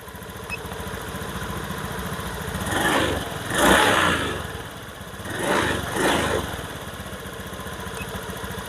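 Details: Honda automatic scooter with ACG starter (no separate dynamo) after a repair for an ACG starter that would not crank, a fault traced to the 3-phase stator-to-ECM wiring and socket. Even idle, two clean throttle blips, no misfire or rattle; charging is stable around 15 V, so it runs normally.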